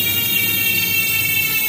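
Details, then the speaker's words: Project bike's Chosen rear hub on an 11-speed Shimano GRX/XT drivetrain with KMC chain: fast, even, high-pitched freewheel buzz with no grinding or catching; healthy hub. "So yan yung tunog ng Chosin. Chosin hub."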